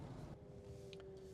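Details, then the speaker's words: Maxus T90 EV rear-wheel-drive electric pickup crawling at low speed in slushy snow: steady mid-pitched groaning whine over soft road rumble, presumably from the drive motor; whine at low speed. "probably hear that whining there now and again if you're crawling in traffic you're going to hear a lot of that plenty of electric torque so it's never really sluggish"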